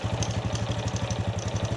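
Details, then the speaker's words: Honda Wave 100 single-cylinder motorcycle at idle after valve clearance adjusted, tappet noise gone: steady idle with a light even clatter on each firing beat; remaining sound is the slightly slack cam chain, still serviceable. "แต่ตัวนี้คือเสียงโซ่ราวลิ้นนะครับนี่ที่เพื่อนๆได้ยินนี่แหละครับเสียงโซ่ราวลิ้นแต่เสียงเมื่อกี้นี้คือเสียงตัววาล์วห่างนะครับ"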